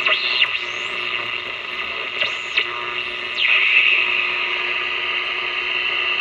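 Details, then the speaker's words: Montgomery Ward Airline AA5 tube radio, dirty, likely never overhauled, tubes untested: steady hiss and crackle under faint whistling stations while tuning; poor reception, owner suspects a resonant capacitor. "hmm I'm beginning to think that actually that resonant capacitor meant something it's not very good reception now grant that I haven't tested any of the tubes but something sounds funny it sounds like there's something definitely going Askew here"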